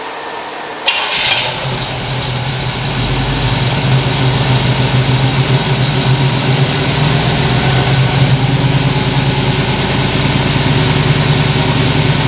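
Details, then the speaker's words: 1977 Chevy Nova small-block V8 after new plugs and advanced ignition timing: short crank, catches straight away and settles into a steady deep idle that firms up slightly; normal start and idle. "i think she's much happier now so um she is dialed into a t i'll show you i mean you just turn the key and she fires right"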